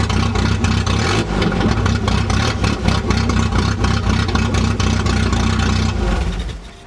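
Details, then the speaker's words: 1988 Volvo 740 GL with exhaust missing from the front to the muffler, including catalytic converter section: loud, deep, unmuffled tractor-like rumble of low pulses. Exhaust leak from missing catalytic converter section. "But essentially, my exhaust doesn't make it from the front of the car to the muffler due to it essentially missing a quarter of the parts underneath, which makes it sound closer to a tractor than a sedan, which sounds pretty sick."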